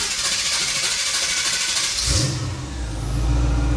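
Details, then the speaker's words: 1977 Monte Carlo: harsh high-pitched whir while cranking before the engine catches; the starter sits too close to the flywheel and needs shimming. "oh we got to fix a we got to shim that starter before we tear something"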